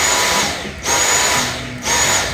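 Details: Dyson V6 vacuum with new filters fitted, replacing old ones whose aging seals caused a squeak: steady high-pitched motor whine holding an even tone, two brief dips, no squeak on top; runs normally.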